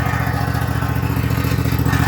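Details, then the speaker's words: Husqvarna 254 zero-turn mower, left a year after quitting, running on added gas with choke: deep steady engine rumble with fast metallic clatter on top; suspected loose heat or muffler shield rattle, not mechanical failure. "Sounds like the heat shield is rattling. Something's rattling. But pretty bad rattle. I don't know what that rattle is. A muffler shield or something. Doesn't sound like a mechanical failure. Just sounds like something loose."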